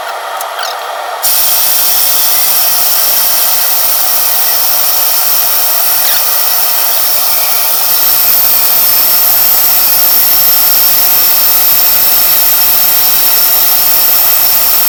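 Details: Craftsman 12-inch vertical bandsaw just after new guide bearings were fitted, run to check where the blade rides: a steady hissing, scraping roar throughout the run with no clear knock; owner doesn't know what it is rubbing on. Rubbing noise.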